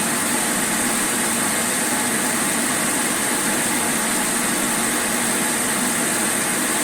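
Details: Electrolux Dolphin Z2230A vacuum cleaner, first power-up after 5–6 years stored in a shed, mouldy and filthy: even, steady high rushing whine with no knocks or rough patches; motor runs normally, though an awful noise occurs on wind-down.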